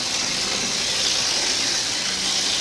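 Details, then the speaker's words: Bachmann HO-scale Canadian diesel (red one), chassis running without body after gears taken out, on about 10 V and 200 mA: constant high-pitched hissing whir with no low end; motor and drive noisy despite repeated work, unsure if track is dirty. "I don't know I mean I keep working on it and it really doesn't get better is the track a bit dirty there"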